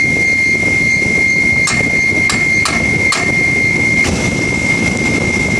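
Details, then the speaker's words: Air conditioner fan motor: steady high squeal with irregular metallic ticks over the fan rush, caused by the motor shaft moving up and down and wearing the bearing; fan assembly to be removed for repair. "Hear it kind of go away, the sound. So what happens is the shaft in the motor is moving up and down and the bearing's wearing away."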